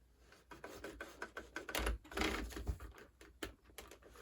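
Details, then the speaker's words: Bachmann GE chassis system HO scale locomotive, briefly moving after a push and in reverse: faint uneven ticks and scrapes about two per second as the weak motor strains; owner suspects a cracked gear. "It definitely sounds like there's a cracked gear, but that locomotive also seems really weak."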